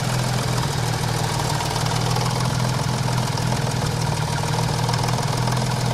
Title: BoB Cosworth engine knocking